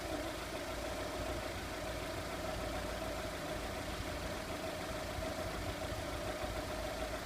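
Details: 2002 VW Polo 1.4 petrol with a cylinder 4 misfire (P0304) blamed on a bad coil, idling during coil testing: steady, even idle with a smooth unbroken hum and no audible stumble or skip.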